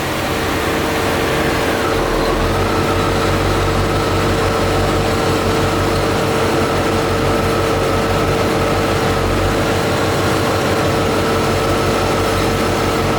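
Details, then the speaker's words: C4 Corvette (OBD-I) engine misfire at idle: steady idle hum with an uneven, stumbling beat as if one cylinder drops out; number one injector unplugged changed the misfire least, so owner plans to inspect spark plugs. "so I found that this number one injector made the least amount a difference on the on the misfire"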